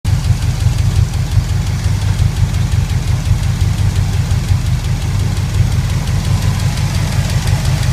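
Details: Pontiac 400 V8 at idle: a fast, regular light tapping, about three per second, over a loud steady idle; owner suspects a bad lifter and plans a teardown.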